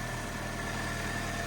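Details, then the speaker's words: Car with 64,000 miles idling smoothly with a faint steady thin scratchy whine on top, only on startup; owner suspects starter motor or alternator, not the engine. "starter motor or alternator that noise I believe that is loud it can't be engine because that's absolutely ticking over lovely"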